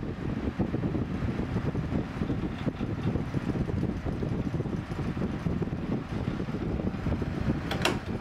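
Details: Early-1980s Sears (Lasko) 9-inch window fan, restored after cleaning and adding an extra armature thrust washer, bearings like new, shaded-pole motor, sitting in a window: a steady, even whoosh of air with no ticking, rattle or scraping; normal running.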